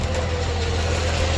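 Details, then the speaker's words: DK2 Warrior Samurai 17,500 lb winch on MAXXD roll-off trailer after repair with manufacturer-supplied parts, pulling a car up: steady low motor hum, no grinding or knocking; winch runs normally. "Let's see if this lines up. Pulls up without any drama."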